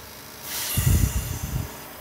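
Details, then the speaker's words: Hyundai HB20 that lost power and made a strange engine noise; compression was below 60 psi against 90 with scored rings. Hissing air with low puffs comes from the breather, and oil spits from the dipstick tube. Heavy crankcase blow-by means a full engine rebuild. "tá passando a compressão tá passando para baixo do motor quando a gente funciona eu tirei a vareta do óleo ele começa a cuspir óleo"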